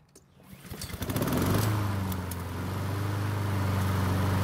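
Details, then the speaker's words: Honda HRN 216 mower after draining excess oil (about 24 oz) to correct level and manual priming earlier; a few pulls then steady, even idle with no misfires; normal start and idle. "so it looks like this mower is starting just fine and i do believe priming it manually with fuel cleared up any starting issues"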